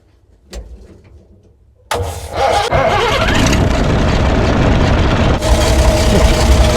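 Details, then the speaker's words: Roughly 60-year-old ex-army International 6x6 dump truck with a swapped-in six-cylinder Perkins diesel, sitting about 10 years: a brief crank catches within a second and settles into a steady, even diesel idle, a quick clean start. "Here we go up. Yep, she's a runner. Look at that, eh? This is one of the quickest starting engines I've ever started, I reckon."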